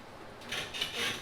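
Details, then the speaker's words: Toyota Tacoma with Old Man Emu Dakar heavy-duty leaf springs, about half a year old, pins not yet greased, rocking squeak test: short, dry, high rubbing squeaks in three bursts; leaf spring squeak. "that's a seven out of ten right so we're gonna go ahead and grease the pins and try it again"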